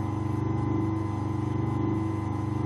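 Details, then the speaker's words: Century repulsion-start electric motor after shimming the armature with a 1.2 mil stainless shim so the bushes don't bind: smooth, even hum with a soft steady beat; the earlier resonance is gone and it runs quietly and healthily. "Smooth now. That's quieted down. It was getting that bit of a resonance"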